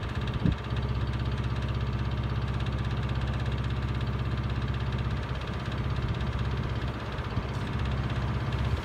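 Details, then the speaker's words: Miele W418 5 kg washing machine, suspected broken drum spider making the drum wobble, loaded with bricks at 1,600 rpm spin: steady low rumble with an uneven thump about twice a second; fine up to about 900 rpm. "I think the spider is broken so when you when you rotate the drum it wobbles kind of you know ever so slightly and it's fine up until about 900 rpm spin once you put it on for a 1,600 spin makes a lot of noise"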